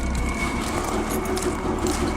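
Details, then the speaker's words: PT Cruiser engine whose cam gears were left loose, suspected sheared pin and timing slipped, started on a new battery, likely no coolant: rough, uneven cold idle with lumpy thumps, misfiring badly, plus a squeaky belt. "It's misfiring pretty bad now. But the motor sounds good, other than we got a squeaky belt over there."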